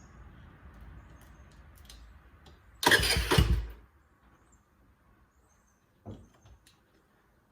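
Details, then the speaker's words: 4-stroke Eton Viper 70cc ATV, choke on, powered by a boost box because the CDI needs constant battery power: engine catches and buzzes about a second, then dies with a few faint pops; runs briefly. "All right, we saw it pop off and run there for a second. That's pretty awesome. this CDI requires power from the battery all the time, so as soon as I unhook that, it's going to cut off."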